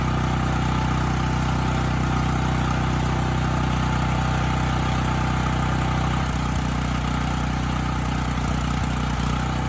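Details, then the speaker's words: Dirty Coleman Powermate 5000 W generator after an air filter change: a steady, even low drone with no hunting, surging or misfire; it now runs well both unloaded and loaded. "I honestly did not think changing that filter was going to fix the Run condition but it did I mean this engine's running quite well unloaded and loaded up so I'd say we're looking pretty good"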